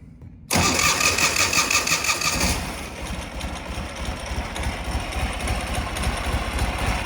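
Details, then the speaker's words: 2004 Ural Tourist sidecar motorcycle cold-started at room temperature, in neutral, on choke: it fires quickly, runs loud and busy at first, then settles into an even, steady idle without misses and with no smoke. "We are in neutral, and the bike is room temperature cold. I'm gonna pull out a choke here."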